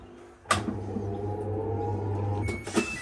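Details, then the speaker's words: Samsung washing machine that hummed and would not spin, after wiring harness repair: pump hums, then a steady low motor hum builds and holds evenly between a couple of clunks as the drum spins normally. "okay power it back on and we'll go a spin so that's the pump sounds like a hum now it should stop spinning there it is"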